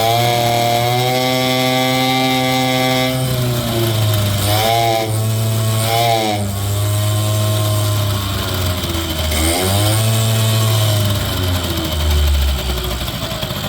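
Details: 1980 Suzuki FS50 two-stroke scooter, roadside find, first run on premix fuel: buzzy revs settling back, picking up cleanly each blip. Normal running two-stroke engine; carburetor still needs some tuning.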